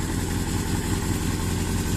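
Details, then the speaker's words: 1982 Suzuki GS650GT, first run since delivery for custom build, owner suspects fuel not really reaching engine: low, lumpy idle with uneven firing pulses that won't settle; runs, but rough. "running rough but running nonetheless"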